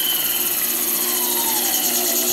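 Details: Small brushed motor of a repaired coil winder, full speed on its foot pedal before a dimmer is added: high, steady whine with even brush hiss, running smoothly.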